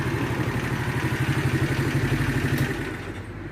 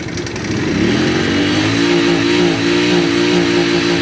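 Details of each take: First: Shineray 50cc motorcycle after repair of an engine knock, cam chain replaced and shortened by two links: steady low idle about four beats a second, no clatter or rattle on top; engine now quiet. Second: Shineray 50cc motorcycle engine revving with a light, fast metallic knock ("batedeira") over the exhaust note; mechanic suspects cam chain, possibly connecting rod or a blown bearing, before opening the engine.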